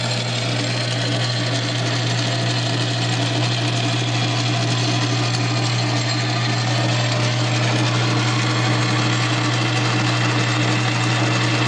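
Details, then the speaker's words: South Bend 9-inch lathe after Model B to quick-change gearbox conversion, gears oiled, running in gear: even, steady gear whir and low drone, no knocks or grinding; most noise from play in the unadjustable reversing gears, louder at higher speeds; normal running. "so they are noisier on the higher speeds, but now most of that actual noise is play in these reversing gears here. That's where most of that noise is coming from, because I can't adjust the gear mesh on these, but I can everything else."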